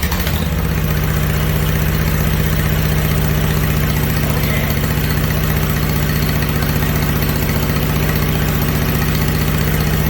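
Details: Snapper mower with a restored, upgraded Briggs Intek V-twin and new muffler, warm: an even, steady low thrum at idle with a regular beat and no knocks or stumbles; the engine runs smooth and healthy.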